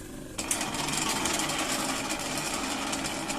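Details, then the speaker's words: Cooler fan motor with reduced speed: harsh uneven clattering rattle as the motor coasts down after switch-off, from the rotor slipping on a worn shaft. "और दोस्तों जैसे ही मैं इस colour motor को band करता हूं तो इसने कार कार कार की तेज आवाज आने लगता हैं"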